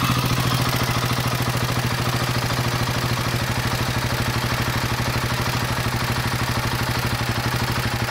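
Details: Royal Enfield Himalayan 450 with engine noise from 4500 km, after cam chain tensioner and head parts replaced and tappets tightened: steady, even idle with a smooth firing beat, no clatter or ticking. The earlier noise is gone.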